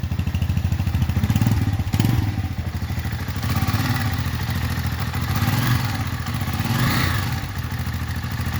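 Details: Lifan Xpect single-cylinder motorcycle at 1,100 miles, just started after valve adjustment (intake set loose 0.06/tight 0.07, tight exhaust valve readjusted): steady, even thumping idle with light valve clatter and no misses; normal idle.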